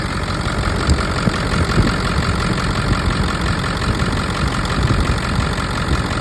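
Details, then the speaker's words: Ford 7.3 Power Stroke diesel truck, low mileage, started on a very warm day; starts right up without long cranking and settles to an even diesel clatter at steady idle with no misses or shaking, no blowby on oil cap test. "As you can see, it starts right up, which is what you want in a diesel. It doesn't need to sit there and turn over, especially on a hot day, which is a very warm day."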